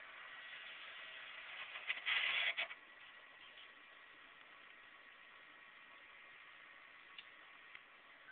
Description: when i turn my 360 on the disk starts spinning and it makes a grinding noise its not scratching the disk and it can still play games